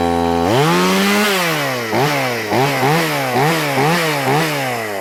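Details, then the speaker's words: Stihl MS180C chainsaw cold start after repair of a chain that spun even at idle (not the clutch): two-stroke starts clean, revs smoothly and blips with crisp, even response; healthy normal running. "I'll show you what it's supposed to look like and what it's supposed to sound like. Cold start here."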